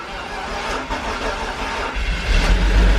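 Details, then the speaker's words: Engine just swapped into a car, first start on the first try, a bit low on coolant: it catches and settles into a rough idle, then revs with a loose ticking rattle underneath, which the builders identify as an exhaust leak. "Oh, there's an exhaust leak. Look here. Oh, that's rattling."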